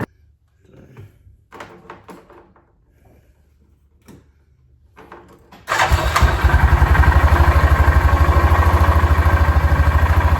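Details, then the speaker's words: 2006 Yamaha Rhino 450, bought on trade, oil level unchecked, first start: after clicks and clunks it catches into a choppy idle with a steady repeating knock; owner suspects engine knock, possibly burning oil, unconfirmed. "So, it sounds like it's got an engine knock, which it very well may. I didn't actually actually check the oil level on it."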